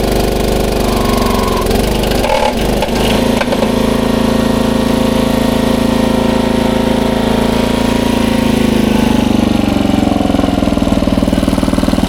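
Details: 1994 Troy-Bilt 34044 33-inch mulching walk-behind mower with Briggs & Stratton engine: a hard run with a fast, hard clatter, heaviest early on, because the two blades are mistimed, likely after a blade change, and hit each other.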